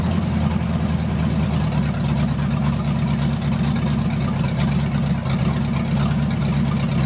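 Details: 1980 Dodge short-bed truck big-block V8, first run in 14 years, during cam break-in after converting from points back to factory electronic ignition; deep steady rumble at fast idle, even firing, no misses, knocks or ticks, normal running.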